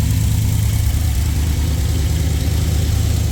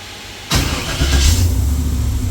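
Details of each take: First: Freshly rebuilt LS V8 in a Jeep with new forged internals, higher compression and a new cam, not yet tuned, first cold start: deep, steady idle with an even lope, no ticking or knocking, 50 psi oil pressure; healthy. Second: Freshly rebuilt LS V8 in a Jeep (forged internals, higher compression, new Comp cam), first fire, 50 psi oil pressure, coming off cold start: lumpy uneven idle; not yet tuned for the cam.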